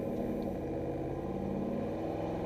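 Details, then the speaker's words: Truck in neutral: a steady, even drone holding at about 2200 rpm with no drop-off, the idle hanging high; cause not confirmed. "That's my idle hanging. Check this out. That's neutral, about 2200."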